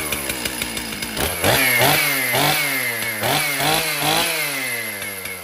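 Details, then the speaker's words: Stihl MS 362 chainsaw, about 7 years of hard use, hard to start and low on power, before repair: finally running, revs surge and sag unevenly with stuttering buzz, not holding speed; rough running, suspected dirty air filter, fouled spark plug and need for cleaning, unconfirmed. "okay so we know that the 362 will run hard to start but we got it going um maybe not a big deal this could be a combination of a dirty air filter a foued spark plug and the saw needing a very good cleaning"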